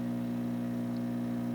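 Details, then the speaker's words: Isolation transformer used while testing an Emerson 8CW-334-2 tube radio: a steady, low mains hum with heavy buzzing vibration felt on the transformer, while the radio itself is quiet. Transformer hum. "we're getting a hum from the transform over here let me turn this down so I don't get all that noise from this camera that hum is coming from the very act transformer I can I mean the isolation transform I can feel of vibration right here it's pretty heavy"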